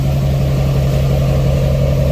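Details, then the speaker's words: Duramax diesel-swapped Cadillac Escalade with full exhaust, just started, lift pump heard, no check engine light: deep, steady diesel idle with smooth muted exhaust note, no misses, knocks or ticking; normal idle. "but actually man it's a lot quieter now with the full exhaust"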